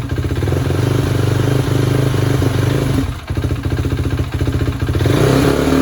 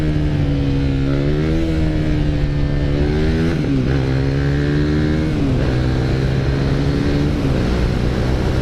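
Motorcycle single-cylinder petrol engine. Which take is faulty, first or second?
first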